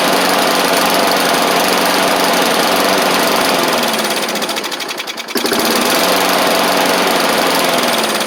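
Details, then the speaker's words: Bolens push mower, Briggs & Stratton Classic engine: fast steady buzz sags and slows about a second, then recovers; stumbling that the owner thinks is leftover water in the fuel, carb diaphragm not yet replaced. "yeah we'll try to try it a couple more times here just to make sure I think we still got a little bit of water in it"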